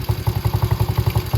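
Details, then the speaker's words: Venom Racing Madix 125cc single-cylinder ATV idling with the idle set a bit too low: a slow, lumpy putter barely holding on. The fix is turning the gold idle screw on the right side clockwise to raise rpm. "So what we're going to do is we're going to go ahead and we're just going to start the ATV. And you see that the idle is pretty low."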